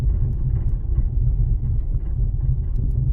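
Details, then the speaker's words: 2007 Toyota RAV4 (non third-row), front rattle complaint; dull, low, uneven thunder-like rumble at slow speed on washboard road, silent on smooth surfaces, not sway bar links or bushings; leaking front strut. "but it's not like a distinctive rattle it's just a like a like a dull thundering type sound when you're on a smooth service obviously you don't hear it it's just on a very like a washboard type surface you'll hear it"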